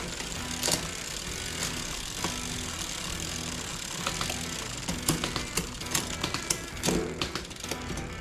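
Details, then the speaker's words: Shimano SLX RD-M7100-SGS 12-speed derailleur on a Suntour 11-51 11-speed cassette with a Deore 11-speed shifter: crisp, light, quick clicks across the cassette; shifting is smoother than the replaced Deore M5100. "It's just very, very smooth. A lot smoother than the 5100 that I had."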